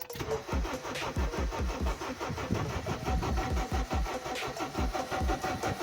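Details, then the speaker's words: Honda Civic 8th gen with spark and fuel confirmed and the pump running, cranked on a battery borrowed from an RSX that is running down. Slow, laboring pulses about every half second with brief catches that never pick up. "all right I gave it a go and this time it did it a couple times like I wanted to start more only issue I have is my battery is running down"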